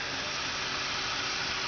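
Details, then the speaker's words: 1970 Opel GT converted to Bosch Motronic injection with an Edelbrock 36032 returnless fuel sump, engine off. The high-pressure pump gives a soft, steady high whir like a quiet electric shaver, with no surging or rattle: normal fuel pump running. "Basically sounds like a quiet electric shaver, and I just think it's the most wonderful thing ever, and I highly recommend this as a nice simple way to hook your car up with fuel injection."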